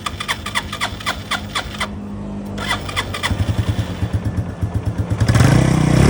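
Starter churns in uneven pulses for about five seconds before the engine finally catches and revs; slow, reluctant start.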